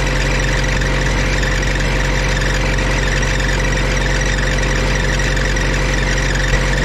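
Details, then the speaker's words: Auction-bought diesel welder that fell from a crane, after shimming the generator head's rear mounts to stop a racket: steady, even drone at constant speed with no knocking or rattling; running smoothly and healthy, repair worked. "yes that is a lot better so that worked all you got to do is put a couple shims underneath these rear mounts here for the generator head or welder head or alternator head whatever you want to call it and uh we should be back in business"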